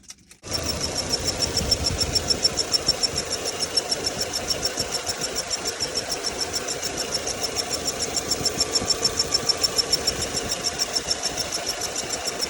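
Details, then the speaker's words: VW Passat B5, cold engine at idle, recorded under the hood: sharp high-pitched squeal steady over fast even ticking; owner hopes replacing the drive belts will cure it, source unconfirmed. "Ничего он не меняется он как пищал так и пищит сейчас"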